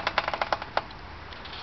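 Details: 2004 Subaru STI pushed at about 1 mph: irregular light clicks from both front wheels, turning scratchy faster. Brakes are new, hub bearings unlikely; noise vanishes for 45–90 minutes after rain. Cause not confirmed.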